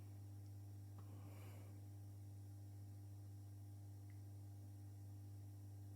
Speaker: you can actually hear them humming that's just the bell so once they get to full brightness they'll stop humming okay